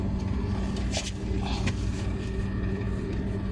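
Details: Water cooler fan motor with a bad bearing: steady motor hum with a rough, uneven drone underneath, the worn bearing starting to growl.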